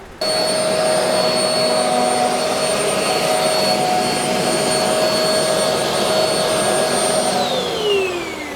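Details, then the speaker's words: Shark vacuum after clearing its plugged canister: steady high motor whine with strong airflow rush, then smooth wind-down. Normal running with full suction restored. "huge difference now we got vacuum make sure this is not plugged up"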